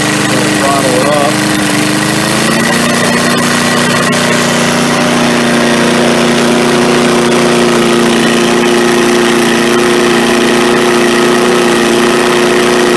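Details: MTD push mower, carburetor just cleaned, set at slow turtle throttle: steady even drone with smooth unchanging pitch, no misses or knocks; engine runs healthy.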